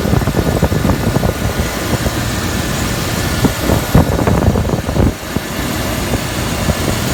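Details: Land Rover at idle with a newly replaced power steering pump. A rough, uneven whirring with clunky pulses on top points to a noisy power steering pump.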